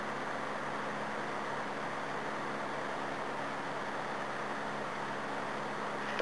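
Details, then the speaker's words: Electric heater, owner thinks about 50 to 60 years old, after cleaning, test run on low then high heat; soft even airy whoosh with faint low hum, no ticking or scraping, fan runs smoothly. "yeah ni is on low heat crank it to high heat that electrocuting myself see there we go"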